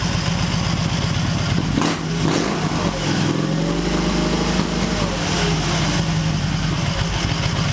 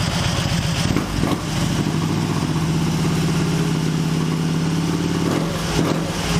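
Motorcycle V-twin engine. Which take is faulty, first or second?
first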